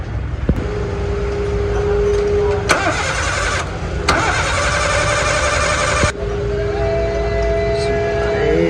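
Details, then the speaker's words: Suzuki Cultus started after engine mount bracket and bolt repair (engine had dropped, causing vibration and noise, now realigned): two bursts of cranking whir, then it catches and settles to an even idle with no knocking; normal start. "Engine start ہو چکا ہے, سم start کھڑا ہے."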